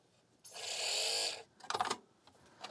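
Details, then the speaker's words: 1987 NEC CD player (CD-510) during repair, with tape added to the disc clamp; short high whir dying away, then scraping clicks and clunks as the disc won't spin properly because the tape makes the clamp stick to the disc's outer edge. "Oh, yeah. Look, that's messed up. I'm going to have to peel this off. It was causing it to stick to this outside edge."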